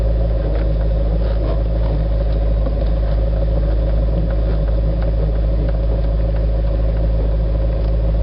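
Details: Corvette idling with windows up, front tires on plastic bags, steering wheel turned: low steady moan/groan from steering, quieter after Teflon lubricant but still present; source not pinned down.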